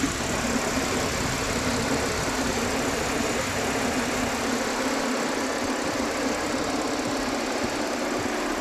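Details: Audi V6 TFSI after misfire repair: smooth, even idle hum with no stumble, miss or shake over several seconds, the engine running cleanly on all cylinders.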